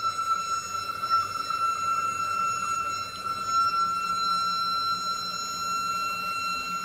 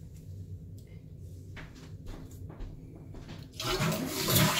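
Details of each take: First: Toilet flush refill: steady high whistle near one kilohertz lasting about a minute, stops when a part is touched; owner suspects that part causes the whine, not confirmed. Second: Toilet after the fill-valve fix: a quiet gurgle, then a full rushing flush and refill with no lingering noise. Normal flush and refill.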